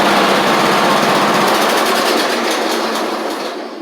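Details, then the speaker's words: Troy-Bilt Horse XP riding mower, repowered with a replacement engine after the old one had a big hole in the back. Busy, steady single-cylinder chatter with whirring 46" blades, running evenly, then winding down as the blades take a second to stop. Healthy normal running. "We've got a running, driving, and cutting mower with a new replacement engine on it."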